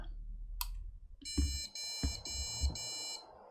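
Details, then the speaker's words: Budget custom gaming PC motherboard tested on the bench out of the case: four short high beeps, then nothing and no POST. "nope still four beeps four beeps and then nothing else well then okay let's keep going"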